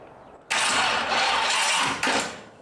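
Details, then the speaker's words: 1931 Ford Model A Roadster hot rod: harsh gritty metallic grinding bursting on with the starter, cutting briefly and returning; starter pinion gear stuck out, not retracting. "don't know if you can tell but that little opinion gear is actually stuck out right now which that too would cause some issues if that gets stuck out when the engine starts I can kind of grind"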